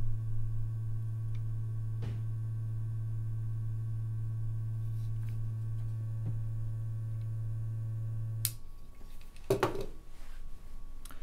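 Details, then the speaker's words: Vintage Mineralight ultraviolet mineral lamp from an unboxing, switched on: a steady low hum with a faint buzz for about eight seconds, then cut off. This is the lamp's normal running hum, like the owner's other Mineralight model. "how is the ultraviolet you can probably hear humming like with my other model of mineral light"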